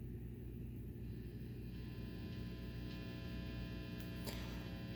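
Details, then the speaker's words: Marshall Valvestate 8100 guitar amp after repair of a heavy static/washy sound: only a faint steady transformer hum with slight interference, no hiss or crackle; washy sound gone, confirming the faulty TL072 input-stage op amp was the cause. "if you hear that you got a little bit of transform home and some interference here cuz I've got this plugged in quiet as a mouse that washy sound is gone"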